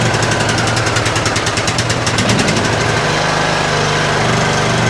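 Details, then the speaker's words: 2007 Craftsman LTS 2000 riding mower, neglected, first start off choke on jumper pack: loud uneven knocky stumbling chugging; rough running, owner suspects bottom-end knock, later traced to bad head gasket or damaged piston rings. "All right. She's a little rough. She's a little rough. And uh I was trying to just work with the choke manually by hand over there, but it definitely sounds like there is some knocking going on in that bottom end."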